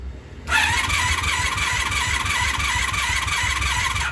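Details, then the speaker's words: 1996 Honda Magna VF750CD after new spark plugs and coolant refill: starter whines and spins the engine steadily about three and a half seconds, choke on, but it never fires; owner suspects flooding and choke not fully on. Crank, no start. "I'm sure we flooded it too that last time. Choke is on and we're filling up the carbs with gas."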